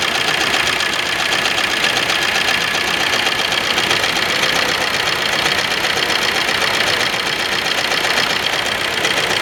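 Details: Suzuki Ertiga diesel engine at idle: clatter with a rough, uneven rhythm of about four beats a second as cylinders drop out; misfire.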